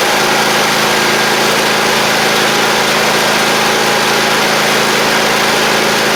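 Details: Cub Cadet Ultima ZT1 zero-turn mower engine running steady and even, constant mid hum, no knocks or misses; runs fine, not using oil or smoking, belts fine, possibly original battery still holding charge; mower rusty and likely stored outside, bent deck.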